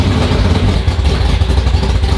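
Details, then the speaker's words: Race car V8 (440 or Hemi) first start of season after sitting over winter, in neutral: deep lumpy uneven idle with clatter, wants to die when given gas; timing uncertain. "it's because as soon as you give it gas he wants to die"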